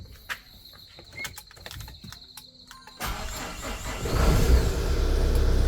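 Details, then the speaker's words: Tata Safari diesel at workshop during starter work: after fuel pump found not properly loaded/primed and corrected, short crank and prompt catch into a steady low rumble; battery not at fault, normal start. "അതാ സംഭവം സംഭവം fuel pump correct load ആയില്ല"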